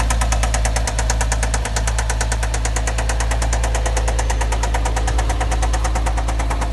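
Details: 2007 Porsche Cayman: fast, even ticking of about eight clicks a second over a steady low engine hum at constant speed; source of the engine noise unclear.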